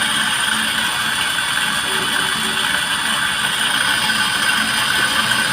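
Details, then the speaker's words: Easy-bike (e-rickshaw) Data brand motor running with a steady hissing, grating sound and thin high whistles: a lot of noise from inside the motor, attributed to bearings; the motor is then opened for servicing. "মূলত মোটরটির সমস্যা আমাদের ভিতর থেকে অনেক sound আসে"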